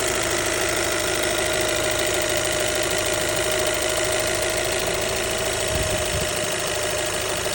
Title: Alfa Romeo 1.8 tbi high-pressure fuel pump ticking noise partial fix #alfaromeo #brera #159 #tbi